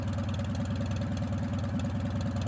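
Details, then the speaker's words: Modified Farmall M International four-cylinder tractor warming up on a cool day after a brief earlier start. Low, even chuffing idle with steady, regular firing pulses and no knocks: runs smoothly, "like a typewriter." "When you get these international 4-cylinders warmed up, boy, they sure do the trick."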